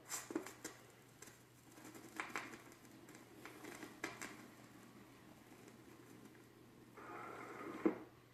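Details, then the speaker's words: Turntable playing a vinyl record before cleaning with a Spin-Clean MK II record washer: scattered sharp clicks and soft popping over a quiet room, which is surface crackle, suspected from a dirty or worn record. "My main turntable definitely picked up, I'll do it one more time, picked up a lot more crackling sound. But you can really hear it there."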